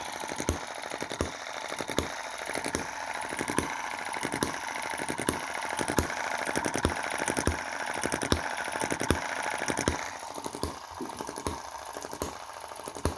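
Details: Cheap Chinese M19/EM2 hit-and-miss engine, carb inlet reduced with metal putty: sharp firing pops at about seventy a minute with uneven gaps. Normal hit-and-miss rhythm after tuning; engine running healthy.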